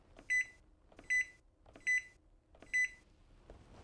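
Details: Zojirushi Home Bakery Mini BB-HAC10 bread machine, selecting a program with the mode select key: four short high-pitched beeps about 0.8 s apart, each confirming a key press.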